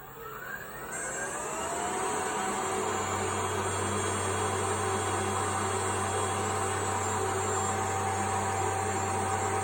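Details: A.O. Smith Cyclone Mxi BTH water heater starting up after the ignition cable and igniter were replaced: the blower spools up with a rising whine, then a steady low roar as the burner lights and holds evenly. Normal burner startup.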